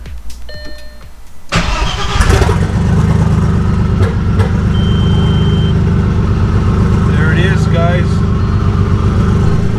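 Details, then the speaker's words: Audi S4 first start after a stage 3 kit install, straight-pipe exhaust, not yet warmed up or filled with coolant: starter catches and engine settles into a loud, deep, steady rumble; runs fine, just very loud. Boost leak check still needed. "It's loud as shit because it's straight pipe."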